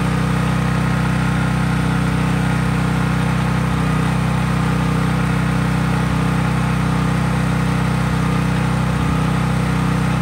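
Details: Craftsman 5000-watt generator outdoors after a cold start, with no load (only an LED bulb plugged in): a steady, even engine drone with a constant low hum, no misses or hunting; normal healthy running.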